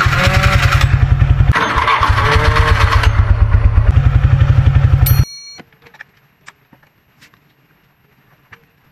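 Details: Suzuki Skydrive Sport 115 FI scooter starter cranking with loud metallic clatter like dropping coins. Suzuki starting assemblies are noisy by design; noise can only be reduced. Same issue on Nex, Address and Crossover models.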